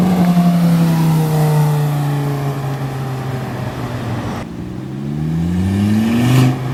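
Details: Volvo S40 T5 2.5 L inline-five, hard throttle: a loud raw roar climbing with revs, far too loud, from an exhaust leak at the flex pipe right after the turbo, like a catless turbo outlet.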